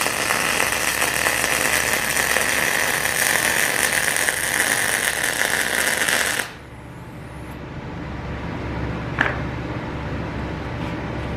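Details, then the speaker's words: PrimeWeld MIG160Ts MIG welding with settings turned up to maximum after a sputtering bead. Even, steady frying crackle for about six seconds, then a clean stop. Steady, good MIG arc. "Alright, that looks a lot better. That sounded a lot better too."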